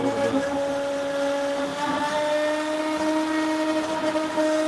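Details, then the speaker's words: Longmill MK2 CNC router 3D carving aluminum with a fine taper ball nose bit: steady spindle whine with faint ringing chatter and chatter marks at 75 inches per minute feed, too fast; reduced back to 65. "I can hear the tool chattering a little bit. Well, you can see even sea chatter marks starting to occur over here. So we slow it back down."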